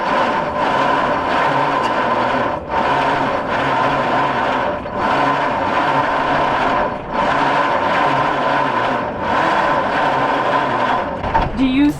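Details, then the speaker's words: 1953 White WC tractor, first start attempt in over 30 years: very slow, labored cranking with a heavy chug about every two seconds, seeming to hang on one point, no catch; battery run down, second battery to be added. "rolling very slow, so That's what I was going to ask. It doesn't sound like it's going."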